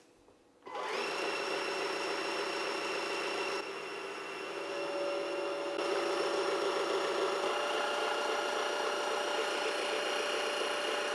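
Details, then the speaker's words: Cecotec Freego Wash electric mop docked on its base running self-clean, water from the bottom of the tank rinsing the brush and draining back into the tank; steady whirring hum with faint water swish; normal self-cleaning cycle. "l'eau ici qui est donc en bas du bac pour nettoyer la brosse qui remonte ici et qui s'écoule à l'intérieur du bac voilà l'autonettoyage est terminé"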